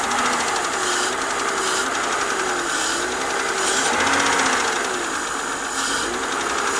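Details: BMW 323i at idle after full cylinder head rebuild and machining (valve job): light metallic ticking, roughly four a second, from the engine top end, louder than before the rebuild; cause not pinned down.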